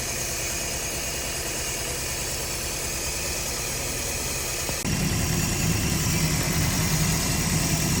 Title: Misfire problems #mechanic #carpart #fypyoutube #mechanic #carrepair #automechanic #mechaniclife #fy